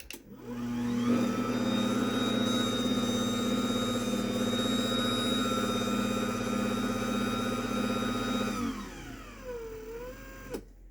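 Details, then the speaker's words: 10-year-old garage door opener, sprocket cover possibly loose: smooth steady motor whir and belt hum at even pitch, winding down and stopping; much quieter than a new DC belt-drive opener, especially closing. "And I think this sprocket cover is a little loose, but this thing is significantly quieter than that brand new one is. Especially on the way down, you can tell the difference."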